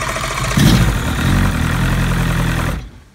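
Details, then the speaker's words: 2001 Evinrude 115hp outboard, after bendix lubrication repair (starter wasn't engaging flywheel), on weaker battery with water running: starter engages cleanly, engine catches after brief crank and runs with steady low rumble. Normal cranking and start. "if the engine starts it's supposed to disconnect the Bendix and then the Bendix just spins so you don't damage your starter motor"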